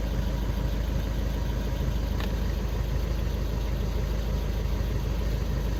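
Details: VW Golf 6 with a P0335 crankshaft-position-sensor no-start/hard-start fault, sensor replaced and fault cleared: low, steady, even idle hum with no misses, knocks or surges. It idles smoothly.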